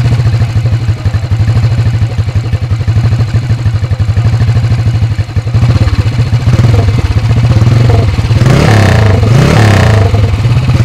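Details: Alan Clews CCM vintage dirt bike, restored: big single thumps with slow, evenly spaced deep beats, then picks up cleanly on the throttle; sounds healthy and strong, normal running and revving.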